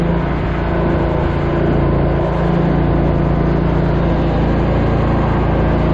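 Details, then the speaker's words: Grasshopper zero-turn mower with blades engaged: loud, steady low drone with a rough, beating hum; something is seriously wrong with the PTO. The owner suspects a dead cell in the defective battery (behind the fender) isn't supplying enough electricity to the PTO. "At this point in my vlog, I'm finding out there's something seriously wrong with the PTO. Sounds like it's coming all the pieces."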